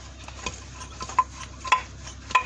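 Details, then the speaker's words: Renault Logan/Sandero/Lada Largus old front suspension strut, removed and rocked by hand at the spring: three sharp dry metallic knocks half a second apart. It knocked over potholes; a ball joint was first suspected. Worn strut, replaced with a new one. "вот так она на ямаху мне стучат это вот очередной стук стучит"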